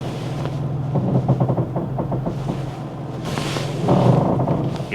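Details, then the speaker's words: Lowered BMW M2 G87 with wide wheels and beefy front tires, driving: rhythmic scuffing thumps about four a second repeating with wheel rotation; front tires rubbing the fender liner. "That's the sound of the wheels and the tires rubbing against the fender liner. If you've lowered the car and have got some beefy front tires, you're going to be rubbing."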